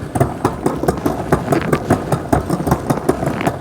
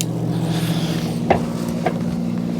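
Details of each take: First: 2024 Wired Freedom e-bike with Shimano shifter and Tourney rear derailleur in top gear: sharp steady clicks about five a second as the chain tries to drop to the next cog, misadjusted indexing. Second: 2024 Wired Freedom e-bike, rear derailleur after indexing adjustment: shifting down through the cassette from gear 7 to 1 gives even motor hum with only soft single shift clicks, no chatter, grinding or noise; normal gear shifting.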